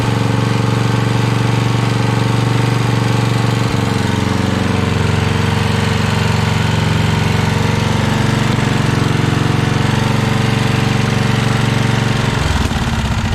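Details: 1982 Snapper Comet riding mower, electric-start 30-inch cut, 8HP Tecumseh single-cylinder, choked: steady loud high-speed drone, fast even beat, stumbles near end; runs only at full throttle, carb still needs tuning.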